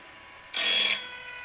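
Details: Woodland Mills RS30 Pro sharpener, with the grinder head eased down onto the sawmill blade in small increments. A short, sharp, high-pitched hiss under half a second as the wheel just kisses the blade: light contact, as intended.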